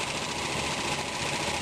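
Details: RV engine right after a distributor swap, timing still off: fast, light ticking over a rough, busy idle. The source is unclear; owner wonders whether a bearing has failed.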